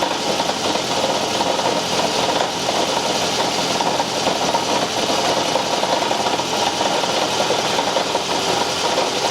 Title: Toyota Camry hybrid 2010 engine noise when starting car